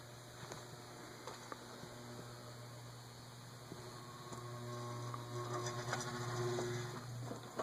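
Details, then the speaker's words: 1920s Emerson 6-blade 30" Longnose antique ceiling fan, stiff to start, on a low-speed control setting. Low steady mains hum with faint ticks and no spin-up as the motor stalls; a too-tight oil cup or a catching felt washer is suspected. "And if it will sustain it, I doubt it will be able to start on that. I think it's a bad idea to have any low speed setting that a fan cannot start on. Yeah, see, that's just going to stop."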